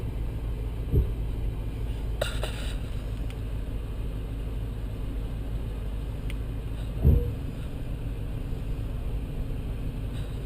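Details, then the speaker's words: 2014+ Chevy SS with rear CTS-V Brembo calipers, new rotors and Hawk HPS pads, driving after copper-based anti-seize was applied to the pad tops and bottoms: low road rumble, a few soft bumps, no brake squeal. "The backs immediately have quieted down. I haven't heard a peep since I fixed that last weekend."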